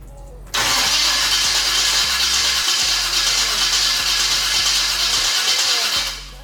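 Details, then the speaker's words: V8-swapped S10/S15 first startup after Holley Sniper EFI install: starter cranks about five seconds with steady rough whir but never fires; fuel pump not priming, owner suspects an unconnected wire. "No. Let's try it again. Let's see if the fuel pumps. Oh wait, what's going on? My fuel pump isn't priming anymore."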